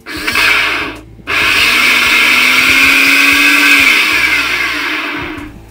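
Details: Bosch mixer grinder motor running with a loud harsh whirring and faint rising tone, rough throughout; worn armature top bearing causing the noise, seizing, overheating and overload trips, with carbon blackening at the armature.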